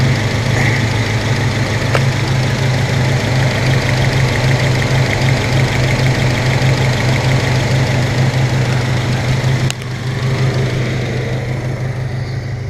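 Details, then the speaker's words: 1997 Honda Civic EX, D16Y8 VTEC engine, cylinder 2 misfire: uneven, lumpy idle with a stumbling beat in the exhaust; still running rough because the spark plug wire boot was damaged. "yeah it's still running like [ __ ] cuz now that boot's all [ __ ] up"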